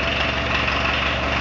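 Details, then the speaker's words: VW Vanagon diesel at cold start, glow plug relay staying on too long; even, steady diesel clatter at idle with no misses or knocks. "I think I'm going to uh fire it up put the uh the cover the engine cover on and uh let her idle for a bit"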